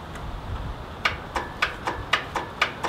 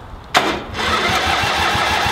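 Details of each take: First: Free Craftsman riding tractor with charged battery, key turned: steady sharp clicks about four per second and no cranking; owner thinks the starter might be seized. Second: Lawnmower/tractor engine whose seized starter was freed with penetrating oil, bench-tested and reinstalled: a sharp engagement, then an even chugging crank at about five compression pulses a second. It starts once fuel is added. Normal starter cranking.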